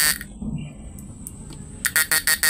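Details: Repaired PDC 4-FET mini stun inverter with replaced PWM, load test, unit without enclosure: quiet hum, then a fast run of sharp, even, clean buzzing pulses about seven per second; normal operation.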